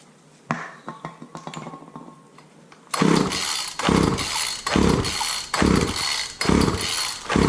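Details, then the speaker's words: Wheeled walk-behind string trimmer, choke on, after carb spray: repeated pull-start bursts about one a second, rattling the engine over without catching. Cranks but won't start; owner suspects it flooded, possibly a fouled plug, from cranking with the plug wire off. "think I flooded it out because I didn't have the plug wire on."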